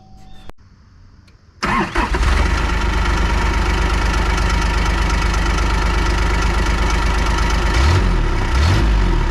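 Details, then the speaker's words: 2001 Kawasaki Mule 2510 diesel after a head gasket replacement and a new CVT belt: cranks, catches, then a loud uneven idle with a clattering knock about three per second; the owner blames the CVT clutch. "Aside from that, the clanking and the clicking and the whatever loud noises that came from that are still there."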